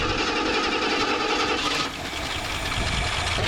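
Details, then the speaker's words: 1974 AMC Hornet V8 abandoned 31 years, revived, after heat cycles with trans fluid added to oil: rapid light even ticking over rough idle, slightly quieter; lifter tick at idle, likely lifters not pumping up, possible exhaust leak too. "She's still noisy, don't get me wrong. I feel like she's quieted down just a hair."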